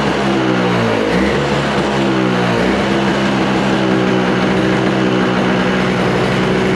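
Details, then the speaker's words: Toro snowblower with Briggs & Stratton R-Tek engine, non-running, refurbished, just started on freshly mixed fuel and warming up; buzzy note wavers and hunts briefly, owner thinks idle adjustment isn't set right, then settles into steady, even running. Normal running. "Oh, there it goes. I don't think I have that thingy in there set right for the uh um uh idle."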